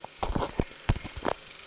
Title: Wahoo Kickr core ticking noise